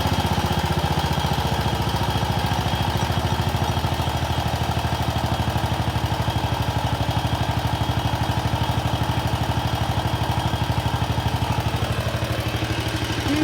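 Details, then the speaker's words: Wheel Horse RS-83 Ride Away Sr. single-cylinder engine first start after fitting new WICO HX magneto coil, points and condenser, choke held; steady even beat about 2.5 firings per second, no misses, maybe one tiny puff of smoke, runs normally. "i think maybe one one tiny puff of smoke if anything oh it started"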